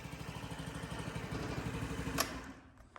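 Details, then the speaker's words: Small single-cylinder engine of a 2022 Honda Ruckus scooter fires easily and putts at a low, even idle with a steady thump and no stumble, after carb cleaning fixed its no-start. "Sound like a bobcat. All right, that's a good start. Fired up easy. I got the idle real low."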